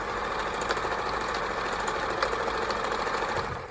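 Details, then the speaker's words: Kenmore 158.14310 sewing machine after servicing, penetrating oil, oiling and loose belt adjusted: straight stitch at 10 stitches per inch, quick light rapid ticking of needle and feed, smooth and even with no binding; perfect stitch. "if this is on zero which is this orange 10 stitches per inch that's where you're going to do most of your sewing that's a straight good old straight"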